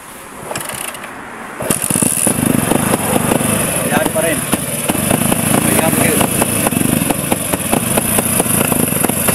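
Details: Motorcycle after water drained from fuel: fires and idles with a broken, stumbling beat and irregular pops; misfiring, faulty CDI suspected, swapping in another CDI to test.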